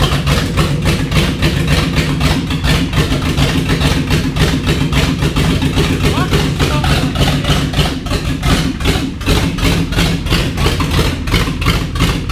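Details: 1989 7.3 IDI non-turbo diesel, first run: loud clatter with heavy, uneven pulse around three beats a second, idle hunting and stumbling; rough idle, air suspected still in the fuel system.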